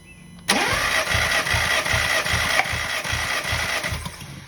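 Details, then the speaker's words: VW Scirocco 4-cylinder with an intermittent idle misfire and engine light, during a compression test while cranking. Steady cranking with uneven compression pulses. Cylinders 1, 2 and 4 read about 75–77 psi and cylinder 3 about 99 psi, all low against the expected 100–175 psi. "You saw number 1, 2 and 4, they are bad because they are around 75, 76 psi, which is low compression for a vehicle like this, for this engine."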